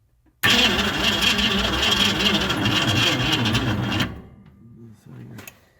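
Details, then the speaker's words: 1965 Mustang fastback 289 V8 that sat 44 years, weak battery, old points, fuel bled in by pump: starter churns about three turns a second for three and a half seconds, never fires. Crank no start with no spark; fitting new points restored spark. "battery sucks oh not getting a spark luckily we have brand new points up at the shop so we're gonna install those right now"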